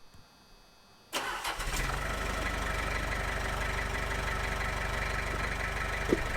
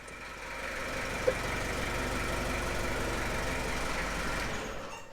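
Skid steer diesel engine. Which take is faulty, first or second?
second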